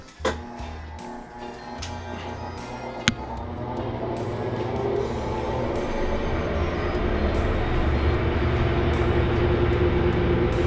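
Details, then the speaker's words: Whirlpool top-load washer WTW4800XQ4 (drum tilted, broken suspension shock) in a spin test: a couple of clicks as the shift moves from agitation to spin, then a smooth, steadily building whir as the drum spins up without banging. "now you can hear some clicking sounds that means the shift is changing his position from agitation to"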